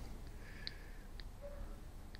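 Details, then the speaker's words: Lexus RX300 steering column knock, column rocked by hand: faint, sharp single clicks about every half second; a worn bushing inside the universal joint cross lets the shaft move, causing the knock. "Добрый день я нашл ещё один одну причину стука в наших автомобилях вот здесь в крестовин на соединении внутри есть втулка которая разбивается и появляется вот такая вот такое вот"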